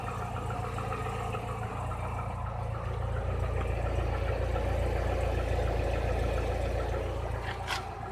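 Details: Chevrolet Niva at 45,000 km, idling with a light regular tapping about three or four a second, getting clearly worse since under 30,000 km; cylinder head replaced under warranty early 2017, bottom-end complaints dismissed; source unknown.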